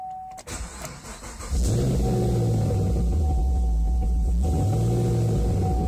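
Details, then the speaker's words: Chevrolet Camaro fitted with electric supercharger, engine started, 27 V supercharger battery: starter catches and settles straight into a smooth, even idle about 800 rpm on the tachometer, steady low tone, no misses or ticks; normal idle. "notice right away that the rpms are reading correctly i've got on my tachometer here i've got looks like about 800 rpm thereabouts"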